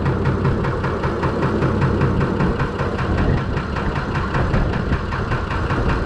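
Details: Fordson Major tractor with swapped-in six-cylinder Perkins diesel at idle after start, cold: deep even idle with steady low beat and light clatter, no knocks or misses; healthy, about 2.5 bar oil pressure.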